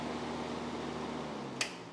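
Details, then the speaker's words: Untested auction Miller CP-300 welder, shell off, wire feeder not attached, first plug-in: faint steady fan whir starts on its own without the switch, then a click and the hum trails off; switch possibly backwards or normal. "all right well the fan kicked on I didn't turn it on so I don't know if that's"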